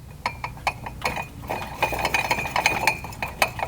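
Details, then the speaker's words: 2012 Honda Civic Si with awful engine-bay noise and non-working AC, belt removed: irregular metallic clinks and knocks as the AC compressor pulley is rocked by hand; excessive play from failed compressor bearing and clutch. "So, our noise is just not up top."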